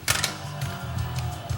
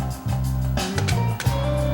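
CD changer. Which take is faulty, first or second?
first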